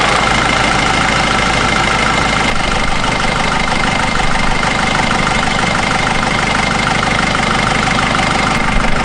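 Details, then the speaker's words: Nissan Navara D22 YD25 diesel just after thermostat replacement and coolant refill, cap off, warming up with heater on hot and fan on highest speed: even idle clatter at about two beats a second with no misses or knock; normal idle. "So I've started it obviously, and I've got the heater fan on hot and the fan on number 4, the highest speed, and that'll help get the water circulating back through."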